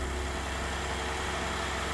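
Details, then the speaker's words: 2012 GMC Acadia SLT 3.6 LLT, first start after final assembly: quiet, steady, even idle with no knocks or ticks; one engine light came on, possibly from over-cranking; normal idle. "Sounds quiet."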